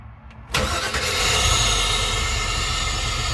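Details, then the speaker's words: Small-block Chevy V8 in an ambulance, heard from inside the cabin just after a new 3hp mini starter replaced the old one, which had sounded sickly after an EFI install. A brief quick crank, then it fires straight away into an even, strong idle: a normal engine start. "And as you can hear, it started up just fine, perfectly, and it sounded great. It sounded a lot better than what it was."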